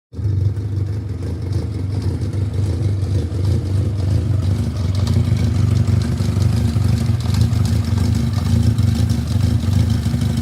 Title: Yamaha XJ750 engine knocking sound